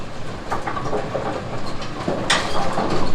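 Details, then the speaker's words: Brunswick automatic bowling pinsetter running an out-of-range pin test on first ball: steady rattling clatter with sharp clanks about four times a second as it cycles; deck comes down, can't pick up the pin, machine stops and clutch engages; mechanically normal. "Out of range pin. Start a cycle, comes down, can't pick anything up. The machine stops right where it's at."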